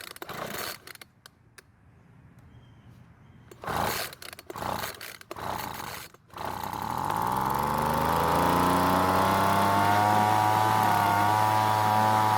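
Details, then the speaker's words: Weed Eater brand two-stroke leaf blower that would not start after long storage: catches and buzzes steadily only on partial choke and wants to die off choke; owner assumes it wants more fuel. "now since the engine runs with partial choke and wants to die off choke i'm gonna assume it wants more fuel"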